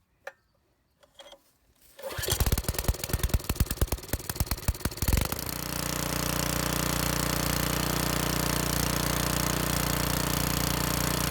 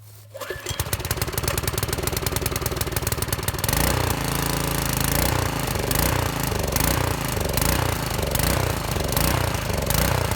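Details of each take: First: Briggs & Stratton engine on a rototiller, previously surging from a dirty carburetor; after cleaning the carburetor, test run with choke on and throttle up, it catches after a few pulls and runs steady without surging. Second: Briggs & Stratton 4-stroke on a rototiller, fresh new gas tank: engine starts then speed rises and falls about once a second; surging attributed to dirt or a plug in the carburetor, possibly fuel line; carburetor to be cleaned.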